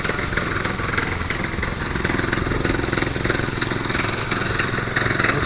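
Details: Roketa 250 with front brake held: rough idle with an uneven clunking beat of about three or four per second from the rear gearbox; owner suspects a spun bearing in the gearbox.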